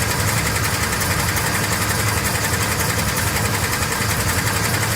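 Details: 1956 Chevy small-block V8 (SBC), previously run out of oil: loud, busy idle with a deep uneven knock about three per second, noticed after shutting off and restarting, not heard while driving; owner suspects rod knock, bottom end failing.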